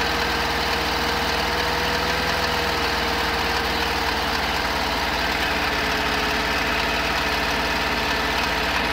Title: 1972 Camper engine knock